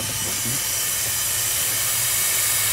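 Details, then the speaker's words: 2002 Ford F250 7.3 Powerstroke turbo diesel, engine off, intake pressurized to 20 psi with homemade boost leak tester over random low boost: loud steady rushing hiss, a large boost leak, partly found around a coupler. "that definitely sounds like a leak. Man, that sounds like a huge leak."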